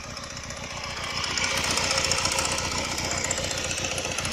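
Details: Honda Rebel 125 single at idle, rising slightly, noise began after cylinder and piston replacement: fast fairly regular metallic tapping three or four a second; owner suspects loose cam chain, hopes not piston.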